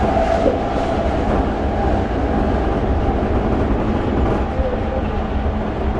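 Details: Toei 5300 series set 5315, Mitsubishi GTO-VVVF, on Keikyu line rapid limited express (Misakiguchi–Kanazawa-bunko), in-car recording: steady high whine over rail rumble and clatter while running, abnormal traction inverter noise.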